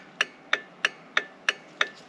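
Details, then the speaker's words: 2003 Jeep Wrangler after turn signal switch replacement, left signal on with one bulb still out: crisp, even flasher ticks about three times a second. The clicking was loud at first, then much better; the flasher works normally. "Find the key, turn it on. Okay, so, oh, it's loud. Left. Oh, much better."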